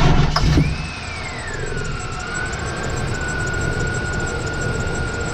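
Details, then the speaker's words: K1500 with replaced engine, new Continental Elite serpentine belt fitted to cure chirp and squeak: engine running with thin steady squeal sliding down then holding; very small squeak from the belt tensioner. "I mean just listened to you it's got a very very small squeak from the tensioner other than that you cannot tell that it's on"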